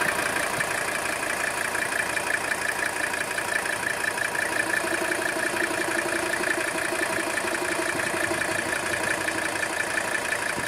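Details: 1983 Mercedes-Benz 300TD diesel at idle during blowby test, showing no blowby: steady, even clatter about three firing pulses a second, no misses or knocks; normal healthy idle.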